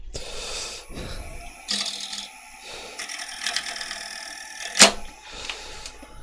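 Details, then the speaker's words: Wood lathe cut: a harsh, buzzing rattle as the turning tool chatters because the tool rest was set too low; the fix is to stop and raise the tool rest slightly. "should have stopped it and just moved the tool rest up a little tiny bit I could hear it chattering but rather than moving it I just left it where it was"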